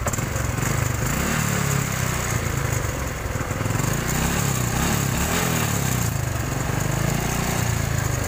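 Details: Honda Supra X 125 new injection: smooth at normal idle, but around 3000 rpm a rough metallic rattle like gravel and sand on the left (magneto) side; slack cam chain, tensioner not taking up, tensioner to be tightened or cam chain replaced.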